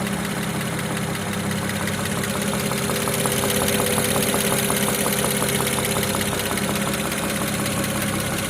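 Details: BMW 335i E92 with the N54B30 engine after 8 minutes of warm-up at idle: a light regular tapping of about three knocks per second over the idle; no knock when cold; engine knock at warm idle.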